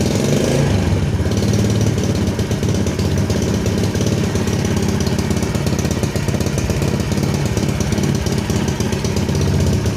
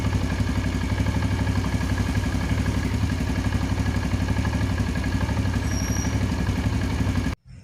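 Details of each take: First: Yamaha Jupiter Z carbureted motorcycle starts easily but runs rough and stumbles as revs are raised with the throttle grip, also hard to start in the mornings; traced to a lean main jet and leaking carburetor diaphragm. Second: Yamaha Jupiter Z carbureted motorcycle, cold morning, after carburetor repair (bigger main jet, needle jet swapped, ACV diaphragm replaced): starts immediately and holds an even low thumping idle without hunting; normal cold idle.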